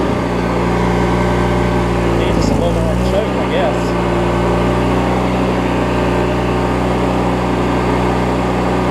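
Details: Twenty-year-old Craftsman hydrostatic mower with a Briggs 19.5 opposed twin, after drive belt replacement, throttled up: a steady, even engine drone with no misses or knocks. It runs smoothly and healthy.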